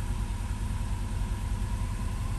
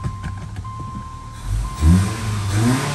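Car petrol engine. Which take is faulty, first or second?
first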